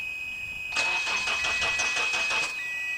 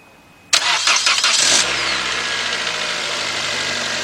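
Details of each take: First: 2006 Toyota Corolla 1.8, cranks but will not start: under two seconds of even starter cranking at about three turns a second, engine never catches. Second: 2006 Toyota Corolla 1.8, complaint cranks but won't start. After replacing blown 20A and 15A fuses, a brief crank catches within about a second and settles into a smooth, even idle. The damaged wiring still needs fixing.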